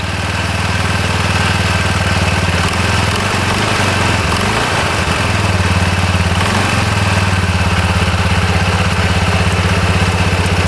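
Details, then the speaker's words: After a worn, cracked drive belt was replaced: a steady, even idle with a firm low thrum and no knocks or slipping squeals; engine and belt drive sound healthy. "Alright, this one's all fixed. Alright, that's a lot better."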